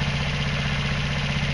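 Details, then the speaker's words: Hydrogen (hydroxy) fuelled scooter engine after cleaning a fouled spark plug, drying the gas through a desiccant and using smaller injection and intake tubing; steady even low putter, no misses or surging, probably close to the right air-fuel ratio. "okay this time it seems like that it's probably has pretty close to the right air fuel ratio"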